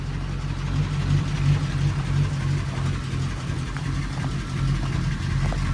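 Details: Engine after a suspected timing or fuel issue, started up: low, steady idle with an even pulse around three beats a second, no misses or knocks; engine running healthy.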